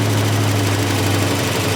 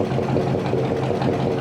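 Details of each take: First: 1965 Chevy pickup assembled from parts, first start with no oil pressure registering while cranking: loud, uneven clatter over a rough low idle, worst at initial start-up; likely oil not reaching the valvetrain. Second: 1965 Chevy pickup V8 on an early start after reassembly, with the oil pressure gauge reading zero: an even, steady low rumble that gets quieter as it runs, with no misses or knocks.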